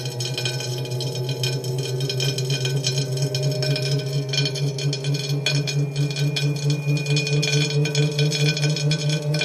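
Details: Tacx Neo smart trainer with cassette removed: spinning flywheel gives a ringing tone with a scraping rasp pulsing about twice a second; grinding noise on the disk.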